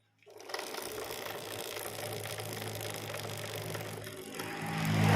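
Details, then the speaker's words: Yamaha R motorcycle idling on its center stand, light clacking from the chain building with revs, louder on the road; chain and front sprocket clacking from sprocket and chain misaligned with the engine, chain tension sufficient. "So the sound is clack, clack, clack, clack . It sounds quite loud, so it's not very comfortable to use, Bro."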